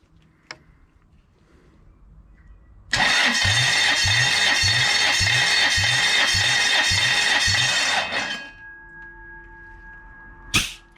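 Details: Toyota 1UZ-FE V8, 29 years old, on a bench during compression testing (cylinders about 220–230 PSI): starter whine with even, strong pulses about three per second for five seconds, every stroke equal; compression good.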